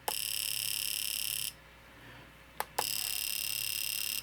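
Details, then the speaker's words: Fuel injector pulsed on the bench by a handheld injector tester: two bursts of fast, sharp, even buzzing clicks separated by a short pause; steady firing, normal injector operation. "You can hear that fuel injector. That's what it's supposed to do. And that's that's the purpose of this little tester."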